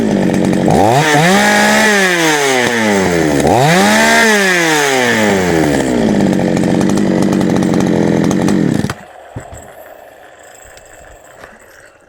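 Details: GOODLUCK 45M Chinese chainsaw, final check after a small repair with chain oiling confirmed: two clean rev-ups rising and falling smoothly with the throttle, no misses or rattles, then shut off; normal running.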